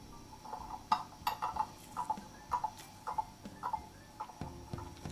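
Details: Beat amplifier on German mantle clock after crutch and pallet adjustment (clock had stopped after running down while owners away), movement wound, pendulum bob refitted: light tick-tock about two beats a second, even, escapement running steadily in beat.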